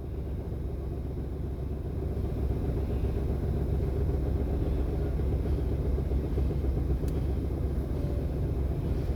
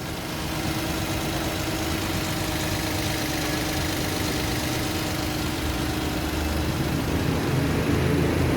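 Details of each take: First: Toyota Wigo, unstable idle near 900 rpm with aircon on, no check engine light: low idle rumble with an uneven lumpy pulse as the engine shakes; clearing the stored code didn't stop the shaking. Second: Toyota Wigo that had been misfiring with unstable idle and no check-engine light, idle about 900 rpm with aircon on; after injector cleaning it idles steady and even with a smooth low hum and no misses; normal idle.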